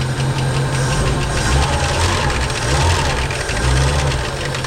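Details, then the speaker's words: 1968 Ford Mustang V8 first running after about 20 years parked, new fuel pump: steady lumpy idle with a faint light valvetrain tick ("Ticky Ticky"), running evenly; normal idle with light valvetrain tick. "oh boy that's so awesome she got the old Ticky Ticky Ticky Ticky"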